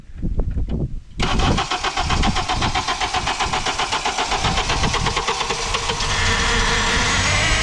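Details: 2008 Honda Accord in the cold: long crank with steady rapid chug before catching, then high idle about 1500 rpm and power steering pump whine; cause was a split, dry-rotted intake duct letting in unmetered air, replaced.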